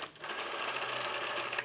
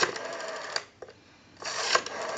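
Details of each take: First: Western Electric 302 rotary desk telephone, initial checkout before service; dial unwinds in quick even clicks that come slower than they should; sluggish rotary dial return, needs oiling, cleaning and adjustment. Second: Western Electric 302 rotary desk telephone during checkout: each dial pull gives an even whirring return about a second long, with steady clicking and a clean stop. A normal, smooth rotary dial return.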